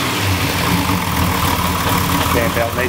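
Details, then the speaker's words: Freshly rebuilt engine with forged pistons, three noisy fuel pumps, at idle: light irregular metallic rattle over the engine note, attributed to clutch with dusting and probably worn rubber bands holding the throw-out bearing; rattle at idle. "there's a little bit of a rattle noise you can hear it see there it's just the the clutch full-face a little bit of a dusting"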